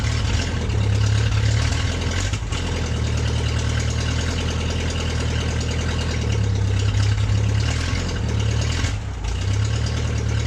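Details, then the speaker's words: MG first run in 22 years after new ignition switch, spark plug wires, starter relay and gas fed to carburetor; choke stuck, engine died once, then settles into steady even low idle with no misses or knocks; normal idle. "So the engine ran smoothly after that."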